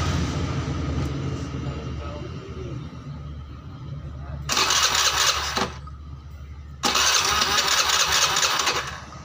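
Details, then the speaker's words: Honda Beat injection scooter just rebuilt (new crank bearing, rebored to 50 oversize) on first start before scanning: fast, busy idle with loud hissing bursts, rear wheel spinning too fast; idle too high though the idle screw is set about 3 turns. "Ini langsamnya masih terbilang kegedean ya teman-teman. Ini perputaran rodanya ini berlebihan, padahal ini setelan langsamnya ini di sekitar 3 putaran ya,"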